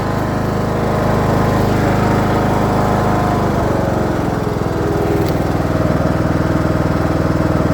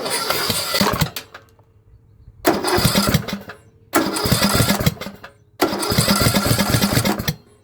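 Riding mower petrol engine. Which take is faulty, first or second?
second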